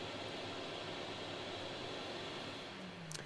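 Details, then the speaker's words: Rider scrubber during preventive maintenance, squeegee raised: vac motor keeps running about 10 seconds, a steady even airy whir with light hiss; normal vacuum motor run-on. "When I raise it, the vac motor will stay on for about 10 seconds."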